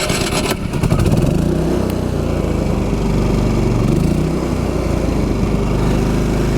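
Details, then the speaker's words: Champion 3500 W dual fuel inverter generator, push-button start with only the trailer battery charger on: cranks briefly, catches right away and settles to a smooth, steady drone at 121 V, 0.7–0.9 A, 81 dB in eco mode. Normal start and idle. "we will fire this up the only thing running in the travel trailer right now is going to be the battery charger everything else is shut off or running on on propane"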